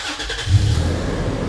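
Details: Toyota FJ Cruiser that cranked but wouldn't start (immobilizer code B2784 antenna coil circuit open) after an unplugged connector was refitted and codes cleared: brief crank catches quickly into a strong, steady, low even idle. Normal start.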